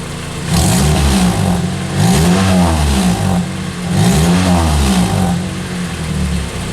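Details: 2003 Pontiac Vibe GT with Toyota 2ZZ-GE engine after exhaust leak repairs, mostly stock exhaust: clean rising and falling free revs about 2000 to 6000 rpm, crisp and even, no puffing or ticking; normal sealed exhaust.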